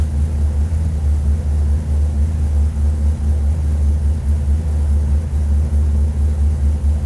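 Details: Lexus IS200 with an LS V8 conversion, just after first start: deep, steady, slightly loping idle with no knocks or ticks. Oil and fuel pressure are good and coolant temp is coming up. A healthy idle.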